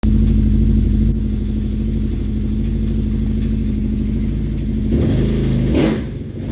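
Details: Kawasaki Brute Force 750 V-twin running: fast clicking, ticking rattle that comes and goes as it revs; teardown found a blown crankshaft bearing.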